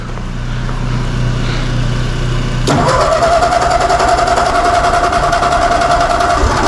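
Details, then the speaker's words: Ford 8N tractor on a very cold day, carburettor choke on: engine catches after a few seconds of cranking, then settles into a steady, even idle of about three to four beats a second; normal start. "All right, cold natured. It's cold outside. All right, let's leave that choke on there until she warms up a little bit. See how she's gonna run."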